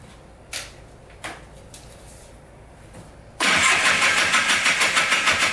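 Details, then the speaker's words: $250 Polaris Trail Boss 250 4x4 ATV, new starter, carburetor cleaned: clicks, catches, pulses unevenly about three beats a second; rough idle, owner suspected crank bearings from crank play; teardown found piston skirt broken off with metal shavings. "i have a feeling the crank bearings are going in this thing because when i put the clutch on it does move up and down a little bit"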